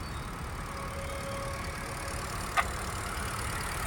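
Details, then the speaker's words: Company-maintained 2017 Honda WR-V, pure petrol i-VTEC engine, second-hand, idling: soft steady low hum, no knocks, misses or rattles; engine condition very good, nothing opened. "ચાલુ જ છે engine. એન્જિનની condition બી ખૂબ જ સારી છે."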